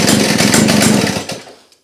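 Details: Victa two-stroke go-kart engine, being restored, fired up on the pull cord: bright, buzzy note that revs crisply then dies away; sounds healthy and runs strong.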